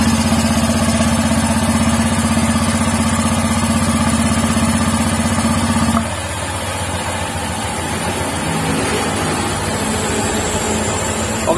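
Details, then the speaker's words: Honda Vario 150 scooter after repair to cure a growling rear wheel: even, steady idle with no growl or rumble from the rear wheel; normal running. "hasilnya Facebook Hai guys Hai sifatku ya halus Bu itu tepat lupa pada betul uh salut begitu ya hampir enggak ada suara bedug"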